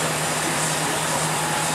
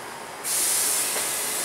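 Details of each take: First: Porsche Cayenne V8 air suspension during diagnosis of its failed pneumatic shocks, raising from low to maximum height: steady, even compressor hum with no knocks or rattles while the car lifts; air suspension raising normally. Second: Porsche Cayenne front left air suspension, pressure applied: sharp, steady hiss starting abruptly and continuing as air escapes through a hole in the air spring's rubber boot; air spring leak.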